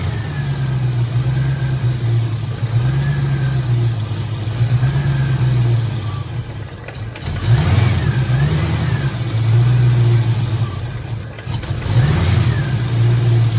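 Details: 1986 Ford Mustang GT, original-mile car that sat for a while, just under a quarter tank with pump heard priming: catches and runs with a lumpy low rumble that surges and sags every few seconds; owner is fairly confident the fuel pump or its hanger hose is bad.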